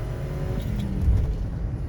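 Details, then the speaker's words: Ford Explorer on street test drive after repairing rat-chewed coil wires: steady, even engine note under light throttle over road noise, no stumble or shake; running smooth, check engine light still on. "so far seem to be running smooth hopefully that check engine light goes out soon"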